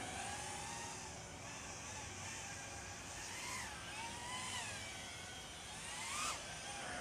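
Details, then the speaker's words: 4-inch FPV drone built as a sub-250g concept with an O3 air unit and a carbon fiber monobody prop guard, on takeoff after a possibly loose height nut was fixed: smooth, even prop buzz that follows throttle, no rattle; normal flight. "Okay, taking off. All right, sounds pretty quiet. I'm just gonna fly around just a little bit to get a feel for it."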